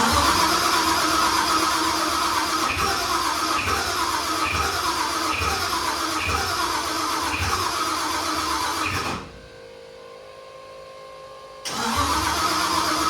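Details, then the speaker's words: 1974 Mercury Comet with procharged 5.0L Coyote swap, new starter fitted: starter churns at about four pulses a second, stops, cranks again, engine never fires; voltage drops to about 10 V while cranking, owner doubts but suspects weak battery. "So I don't know if maybe that battery is just not strong enough to turn it over."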